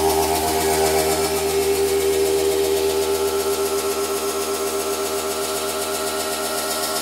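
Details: New washing machine on its spin cycle: a loud, fast spin with even pulsing about four times a second over a steady whine; it spins abnormally fast and hard.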